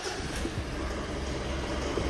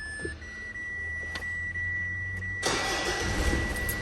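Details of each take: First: Mitsubishi 4D56 diesel with code P1275, hard start, engine temperature normal: loud, harsh tractor-like idle with rapid clattering knock and vibration, blamed on excessive diesel rail pressure from a dirty valve stuck in place. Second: Mitsubishi 4D56 diesel after diesel filter replacement and clearing code P1275, coolant 83°C: a steady warning tone, then it starts quickly and runs smooth and even with no vibration.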